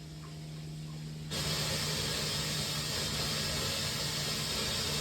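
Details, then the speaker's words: Water heater after flushing and tank refill, hot side of shop sink opened with breaker still off: loud rough hissing, sputtering and spitting as air bleeds from the hot line; tank not yet full until flow runs smooth. "I'm gonna open up the hot side of my shop sink and let all the air bleed out of that once that thing keep you know the air quits sputtering and spitting and it's running smooth then you know this is full all the air is out of it"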